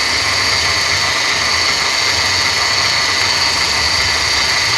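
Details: 2014 Mercedes C250: a steady high whine holding its pitch over the running engine, heard after driving, with the power steering fluid still low on the dipstick. Others blame the alternator pulley, but the owner doubts it; the pump is starving on low fluid.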